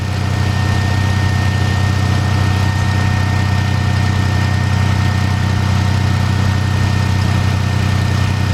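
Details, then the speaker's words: 2013 Dodge Charger 3.6 that stalls in gear after a jump start, idling with the jumper being disconnected; steady low idle with a faint uneven stumble. Known misfire; the alternator was found not charging. "now what I'm going to do I know this thing's got a misfire also"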